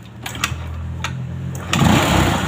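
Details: Scooter (CVT) after servicing the CVT, which had the rear wheel dragging when running: starts and settles into steady even buzzing idle with no clatter; rear wheel can now be held while engine runs; fixed.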